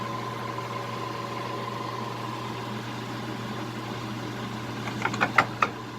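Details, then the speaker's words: Cincinnati Hydrashift 17-inch swing, 54-inch bed lathe, with a big compressor droning nearby: steady hum, then quick clunks as the gearbox shifts, a normal shift. "You heard it shift gears in there. Nice thing about the Hydrashift is you know what the next RPM that you want to run is."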